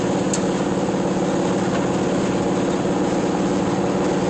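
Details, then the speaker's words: 1982 VW Vanagon Westfalia on a road test, accelerating hard: loud, raspy, chuffing exhaust sound over the engine note that grows under throttle, caused by a hole in the exhaust. "So I'm accelerating. I'm pushing quite a bit on the gas, so you hear a little bit better sound, or more sound than when you're not accelerating. But that's like I said, a hole in the exhaust."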